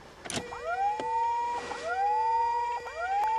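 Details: 1986 Mercury Marquis, winter cold start: a siren-like whine sweeping from low to high pitch about every 1.2 seconds while cranking. Source undetermined; owner can't hear the fuel pump and suspects its relay.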